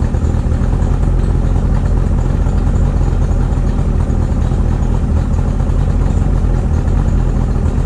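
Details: 2008 Tracker boat, 50hp Mercury outboard on water after water pump change, new plugs and timing set; deep, steady drone holding even speed with no misses or knocks, alternator charging; healthy motor running smoothly.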